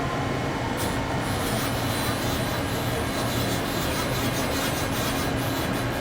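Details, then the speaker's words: Johnsford CNC mill, axes jogged X, Y, Z (limit switch errors before homing): steady, even servo whir with no grinding or knocking; servos sound healthy. "here it sounds sounds of servo sounds real good on the X Y if it wasn't all you can hear the Y's the servo sounds good"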